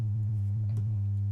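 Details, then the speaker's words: Modular synth with all modules powered from flying bus boards: a steady low sine tone with irregular chirping blips riding on it, changing as a module is unplugged and replugged. Sine wave output distortion, source not yet found. "if I plug this out that Fades away and if I plug this back in now well now it behaves differently and uh and the sine wave is doing some crazy things so"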